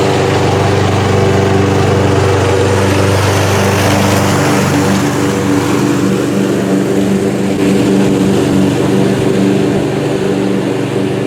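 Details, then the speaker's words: Homemade lawnmower, single-cylinder, first pulls after being tight to turn, late-October day about 65°F: steady, even low rough chug while burning off oil smoke, occasional loud pop; sounds healthy, running with oil smoke. "I missed it that time still smoking out of there the smoke will dissipate there's a lawnmower the smoke will dissipate uh probably in another minute or two"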